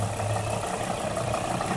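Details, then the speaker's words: 2005 Nissan Murano with a misfire but no check engine light. Disabling the injectors one by one with a scanner, injector 4 gives no change in engine sound. A low idle with an uneven chuff points to cylinder 4, whose ignition coil showed no spark. "vemos que no hay diferencia en el sonido del motor entonces el problema se encuentra en que en s en ese cilindro"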